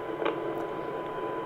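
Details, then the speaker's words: Yaesu FT-2312 23 cm (1.2 GHz) radio from the 1990s, before repair, receiving a weak modulated 1298 MHz signal with 1 kHz tone: heavy constant hiss over the tone; symptoms point to a VCO/synthesizer signal problem injecting noise. "the tone there should be nothing audible but we have here a very powerful background, let's say it is a noise background, a large noise background that is superimposed on the Dem signal, modulated and very weak at the input"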